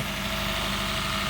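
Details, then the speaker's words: Honda Fit GP5 hybrid, cold, after valve clearance adjustment, throttle not yet calibrated: smooth, even idle hum with no tapping from the top end; valve noise gone, normal idle. "Ну то что дросель то не отрегулирован ну шумов нету и шума нету"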